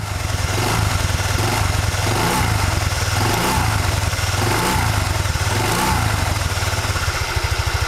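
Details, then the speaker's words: Honda Vario Techno 110 scooter with a Proper Racing Line knurled clutch bell on the original double shoes, CVT cover off, idling with light throttle blips: even single-cylinder idle with no whistle. The clutch bell runs quietly. "posisi tidak menggunakan bak CPT ternyata suaranya enggak begitu kedengaran suara siulan gitu ya"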